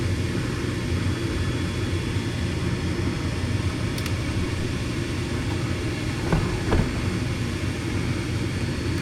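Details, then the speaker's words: Furnace with intermittent no-start, restarted during a gas pressure check (inlet about 7.66 in. water column); the inducer (booster) motor kicks on with an even, steady low hum, no rattle or squeal, running normally. "Turn the system back on. Booster's kicked on."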